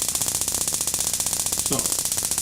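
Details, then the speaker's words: RV ignition board on Dinosaur Electronics board tester, in ignition mode: thin, faint, hissy ticking about ten snaps a second versus a snappy board; weak spark, board possibly faulty. "if you were to watch this spark versus this one I'll sense a flame this is really snappy this puny little thing over here might be a problem"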